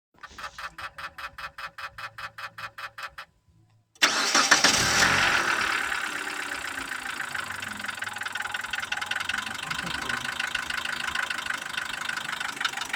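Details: Mitsubishi Pajero iO 4G94 engine, after a chime it starts and settles into idle with a fast, steady tapping on top; engine knock, source unknown, owner asking for advice.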